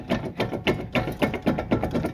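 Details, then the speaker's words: Car wheel rocked: quick, even clunks show a worn wheel bearing with play. "that shouldn't do that um yeah the wheel bearing's shot so we're going to get that fixed"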